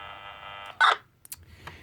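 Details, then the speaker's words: Kenwood KMC-27 microphone on an NX-800 radio, heard on a scanner: raspy buzz on transmission that cuts off, with clicks; with the cable held in one spot no audio transmits, pointing to a bad mic cable. "If you hold this thing in just the right spot, which that's actually not that hard to do, you will get that sound. And while it does that, it does not transmit any audio."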